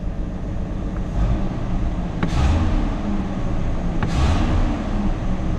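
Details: Classic Ford XE Falcon: two quick throttle blips over a steady idle rev up and fall straight back with no stumble or hesitation. Clean throttle response.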